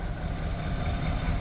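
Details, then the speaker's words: 1971 Ford Country Squire station wagon after a 460 big-block V8 swap, first running in 43 years: deep, steady, smooth idle rumble with no lifter tick and no exhaust leaks, though the engine was earlier noted to have a slight miss; normal idle. "No lifter, no exhaust leaks. So good."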